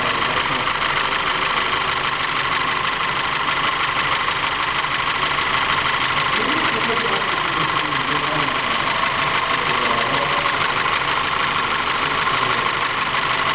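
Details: Audi TT 2.0 TFSI engine with a foreign noise: fast rapid ticking over a lumpy idle that stumbles now and then. Diagnosis found low compression and ignition misfires in the same single cylinder.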